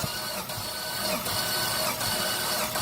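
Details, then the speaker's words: Jeep with a bad engine cranking with a compression tester on a good cylinder, valve train audible: steady starter whir with strong, even compression pulses, reading about 130 over three revolutions. "got the compression tester on a good cylinder you'll notice the valve train and the background there yep go ahead"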